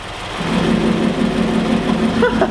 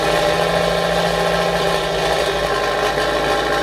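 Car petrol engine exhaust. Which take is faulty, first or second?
second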